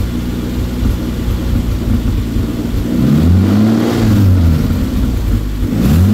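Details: Toyota 2JZ inline-six, newly wired into a car after months of work and freshly started, recorded with multiple microphones; steady idle then two clean rev sweeps that rise and fall smoothly with slight popping, revving healthily.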